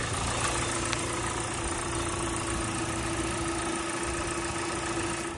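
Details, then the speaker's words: 2015 Hyundai Sonata LF, 2.0 petrol, 177,677 km, just started: even, steady idle hum with a faint constant whine, no knocks, ticks or misses; no oil leaks, engine runs smoothly. "Капот астында бізде СВЛ мотор. Майталған жерлер жоқ, дыбыссыз, қазір ғана оталдырдық, жақсы жұмыс істеп тұр."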